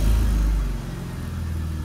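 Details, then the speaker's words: 2000 BMW 528i idling after valve cover gasket oil-leak fix: low rumble surges then keeps wavering instead of holding even; owner had fluctuating idle after start-up, suspected linked to oil on spark plugs; cause unknown. "rt the car up it would just be normal and then it would fluctuate the idle and it was very annoying and this could be the fix but you can clearly hear it is doing that right now"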